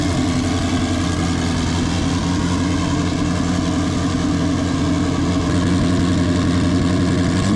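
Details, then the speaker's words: Chevy V8-swapped Porsche 935 with 180° crossover headers (giving a flat-six-like firing order), idling in neutral before clutch replacement: steady, even, throaty idle with raspy flat-six-like edge, no ticks or knocks; normal healthy idle. "part of the reason why this thing doesn't sound like a V8 all the way is because we built 180 headers for it"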